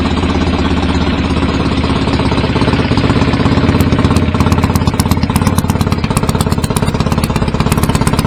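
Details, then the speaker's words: BSA A50 Royal Star twin, bought as a non-runner, at first start after restoration with pattern exhaust: loud open pipes, fast, slightly uneven popping idle. Needed throttle to fire; owner suspects timing slightly off and plans a strobe check. "yeah I had to give it a bit of throttle to get that to fire up that's all that needed really uh just sound as all the time in these maybe a little bit off"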